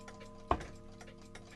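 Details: Restored antique Sessions eight-day mantel clock, just started after reassembly: crisp, even ticks roughly two a second in a quiet room, running normally.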